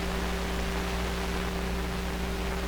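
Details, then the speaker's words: Sparton 1567 tube radio after shortwave RF primary coil repair, antenna being fitted: steady even static hiss with faint low hum, no crackle or dropouts; receiving normally again. "I think I might have heard something there I think I might have been hearing the hiss now"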